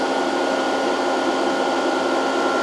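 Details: Variable frequency drive with long-idle capacitors being slowly reformed, supply almost 110 volts: cooling fan running, constant rush with steady fixed-pitch tone, no rattle or wobble; normal.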